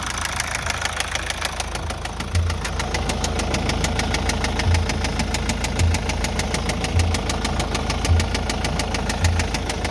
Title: MAZDA 6 2.2D SKYACTIVE knocking sounds???